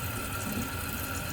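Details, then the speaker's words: Toilet tank refilling after replacing a slow-filling fill valve (old hose broken off) with a new universal adjustable one, water turned fully on: steady hiss with faint whistle, no chatter or hammering, no leaks; valve refilling normally. "And while it's filling up, just ensure that you have no leaks. Looks good so far."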